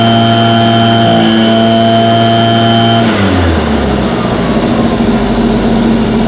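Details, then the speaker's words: Echo 403T blower with a replacement Zama carburetor, hot and near operating temperature: steady high buzz at full throttle during high-speed adjustment, then a clean drop to a smooth, even idle; running normally. "i'm going to get that fully throttled up i'm going to bring it all the way so it won't go any higher"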